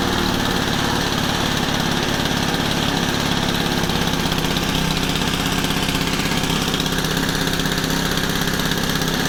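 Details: Honda FG110, GX25 engine, idle turned up high while tuning a new carb and warming up: raised steady idle with an even putter, no surging or bogging; normal fast idle.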